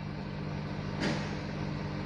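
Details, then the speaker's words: Car at diesel idle, revved: steady low drone not following engine rpm, disappears when radio volume lowered; hum from audio speaker, not engine. "Nah, dengungnya ini harus kita tahu apakah pertama dari mesin atau dari speaker. Coba kita pelanin, Teman-teman. Nah, hilang ya dengungnya ya."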